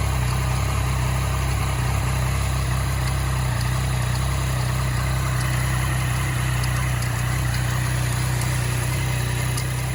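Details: 2014 Yamaha MT-09 at idle after a blip: faint light irregular ticks over a steady idle; engine clicking noise, cause unclear.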